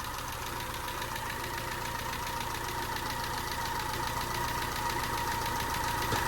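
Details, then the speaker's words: Peugeot 207 engine idling while warming up after a snapped timing belt, head gasket rebuild and new timing belt; fast fairly even light knock about three or four a second, owner suspects tappets need more adjustment; prior sound unknown. "but I do feel that it's a bit knocky but I don't know what it was like"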